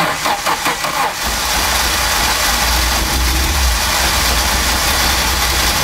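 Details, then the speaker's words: Audi 200 Quattro Turbo after timing kit and peripheral replacement and fresh fuel added: cranks a second, fires and settles into smooth even idle with steady low hum, no misses; running correctly. "le moteur démarre toujours il tourne correctement on va dire qu'on a réussi"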